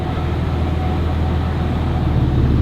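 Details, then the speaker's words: Truck with G56 manual transmission and South Bend dual-disc clutch, after switching to Hot Shot's Secret Diamond G56 fluid, cruising in gear with clutch engaged: even low drone, no gear whine; normal, quieter transmission while driving. "I can tell you right right now it's it's already quieter because while we're driving you you don't really like while I guess while we're moving and the clutches engaged you don't hear the"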